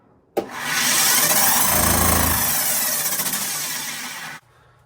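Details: Vent-A-Hood K250HSS2 range hood fan before repair, with the customer complaining of loud noise. Steady rushing roar with a low rattly hum as the loose blower housing vibrates and moves while spinning.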